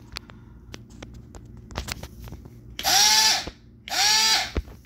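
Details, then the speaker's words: R1 ESC RC motor bench test, start power removed, 10% throttle: two short bursts of motor whine rising then holding a fairly low pitch, about 6,600 rpm versus 10,000 rpm with 20% start power; reduced speed without start power. "you can hear that's much lower rpm so twenty percent netted ten thousand rpm and we're down to sixty six hundred again with ten percent throttle power"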